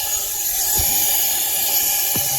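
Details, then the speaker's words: 2001 24-valve Cummins diesel pickup, leak-down test: constant high-pitched hiss of air rushing out the intake; the valve isn't sealing after a dropped valve seat, with about 70% leakage, so the engine runs on about five and a half cylinders. "can hear it coming right out of that intake. So yeah, it's running on 5 cylinders and a half."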